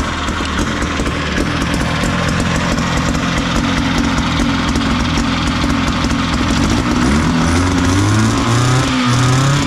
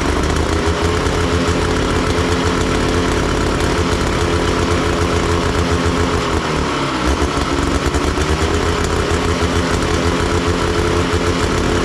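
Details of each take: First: Big Max 6x6 amphibious vehicle, 440 cc two-stroke rear engine, running after carburetor work, choke on, a little smoky: loud, even buzz holding steady, then rising in pitch when revved; runs clean and strong, normal running. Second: Big Max 6x6 amphibious ATV, 440cc two-stroke, revived after sitting: a steady buzz that sounds rich and lumpy and never clears with the choke left on; rough running, and the owner suspects one of the carburetor adjustments.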